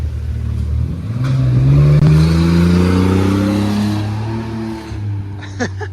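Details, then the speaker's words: 1991 Chevy S10 Blazer, revived after sitting abandoned, muffler fitted, heard from outside: deep even rumble rising as it accelerates past and fades, no rasp or leak ticks; sounds decent; smokes at top of rev range; normal exhaust note. "It sounds pretty decent, actually. Doesn't sound bad."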